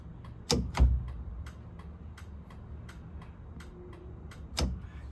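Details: 1970 VW Beetle rewiring, turn signal circuit with cleaned replacement flasher relay (original's capacitor leaked): crisp paired ticks repeating over a quiet room; flasher clicking normally.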